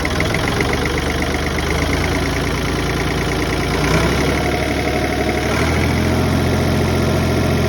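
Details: Ford 4610 diesel tractor idling after its leaking fuel injector return line was repaired with small-engine fuel line: steady, even idle with a low regular beat, no knocks or misses; running healthy, no leaks so far.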